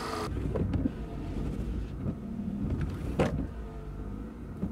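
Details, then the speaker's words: 2013 Scion FR-S, almost 200k: on normal speed the wipers sweep too slowly with a low labouring groan swelling each sweep, about one per second; groan goes away on high speed; wiper motor suspected, replacement planned. "then when i put on high that groaning noise goes away that's normal this is too slow this is my normal speed but this is too slow for the normal speed and you see it's laboring it's groaning"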